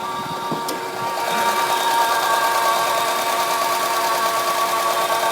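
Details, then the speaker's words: Acura RSX at idle: steady high-pitched whine over a smooth idle with faint quick ticking; runs and drives fine; owner's first guess is power steering, not confirmed. "Just start it up. It makes a little winding noise. I don't know what it is. Maybe somebody can help. My first guess would be the power steering, but I don't know much about Hondas."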